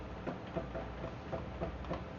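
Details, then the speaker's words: Hobby CNC router while touching off the Z axis with paper, jogging down a few thou at a time: soft evenly spaced ticks about three a second in a quiet room, normal stepper motor stepping. "I don't know if you can hear the tick, tick, tick, tick, tick, tick that's going on."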